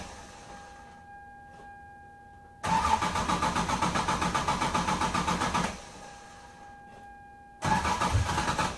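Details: 1996 Lexus SC300 manual, 2JZ-GE, with a long-standing hard cold start and rough idle, showing how it used to start: the starter churns in long rhythmic bursts, nearly four pulses a second, without the engine catching.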